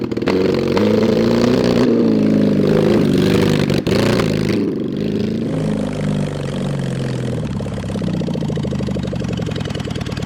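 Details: Mid-70s Honda CB750 SOHC engine in a 1980s Suzuki Quad Sport 230 with open pipes, push-started downhill in first gear: revs rise, then sag and stumble with uneven firing as the throttle opens, bogging; carburetor fuelling suspected.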